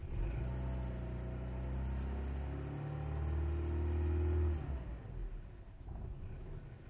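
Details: 1998 Volkswagen Jetta: engine note hunts up and down with a stumbling beat, then sags and nearly cuts out; misfire with unstable idle, cuts out at 5100 rpm, dies without throttle after load when cold.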